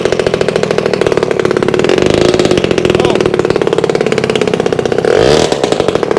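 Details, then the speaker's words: Vintage two-stroke, with fuel leaking out. Rapid, raspy popping at a fast idle with a couple of blips, much louder and harsher than stock; the exhaust earlier thought good is making it loud. "But let me show you the other reason why it's running kind of loud. So, you remember the exhaust I said that looked good?"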